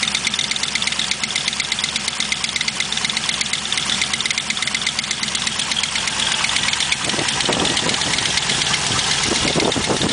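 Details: LS1 V8 idling with a fast, sharp tick that seemed to be a collapsed lifter but turned out to be an exhaust leak.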